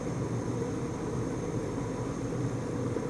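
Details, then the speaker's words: Lab gas furnace with intermittent pressure switch, last step of the heat sequence after ignition and flame proven: blower comes on, steady even airy rush over low hum with no rattles or scraping; normal blower operation. "And last thing here would be our blower will come on. Let's give it 1 second here to make sure. Okay, there's the blower."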